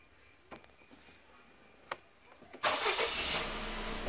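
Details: 2012 Suzuki Wagon R 0.6 L after P0171 system-too-lean repair, fuel pressure confirmed over 40 PSI and codes cleared; short crank, engine catches quickly and settles into a smooth, even idle, starting cleanly.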